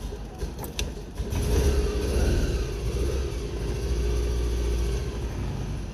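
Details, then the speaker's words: British Isetta blue bubble car started after brake work, with brakes bled, firm pedal and out of gear; it catches after a short crank on choke and settles to a steady, even low putter, running fine without the choke. "She's running without the choke. That's awesome."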